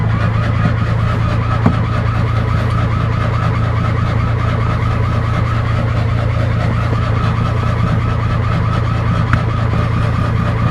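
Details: Fiat 126 cold start attempt, last started 18 October; steady cranking at about two beats per second never catches, cranks but won't start; owner suspects spark plugs or coil.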